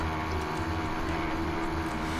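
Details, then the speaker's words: Motorized-bicycle kit two-stroke, about 3 months old, with windowed piston, cleaned ports, Dio reed, Chinese Mikuni carb, new crank seals and stock pipe, four-stroking under way: blubbers and skips beats instead of ringing crisply, from too-rich jetting still being tuned. "And I've been working on getting the jetting right and all that. You can hear it 4-stroking quite a bit throughout this video."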